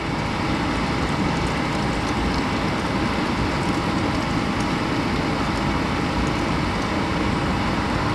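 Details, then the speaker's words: Suburban RV furnace after clearing clogged, locked-up combustion fan, suspected bees nest: steady, even rushing roar without surges, knocks or rattles from blower and burner; normal furnace blower and burner operation. "up there's there's one try there we go yeah we're warm now"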